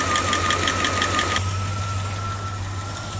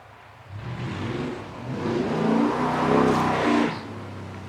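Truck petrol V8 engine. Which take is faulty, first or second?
first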